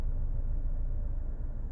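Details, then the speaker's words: Used cheap car check, AC set to cool while idling: steady low idle rumble sags slightly as the AC compressor engages, engine lugging under load, then recovers as it cycles; normal idle drop, compressor works. "there it's there it's lugging down like it's got a load on it there it's coming back so we can tell the compressor actually kicks on and off anyway so that's good"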